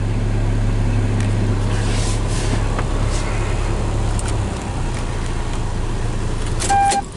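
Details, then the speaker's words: Toyota Tacoma 2.4L after P0401 EGR flow insufficient fix (EGR ports cleaned): low steady hum, even beat, no screech or rattle, keys jingle; before, engine shook so hard cabin plastics screeched, now no vibration; normal idle. "And now there's nothing. I bet I could even set the camera on top of here and you won't really see much vibration."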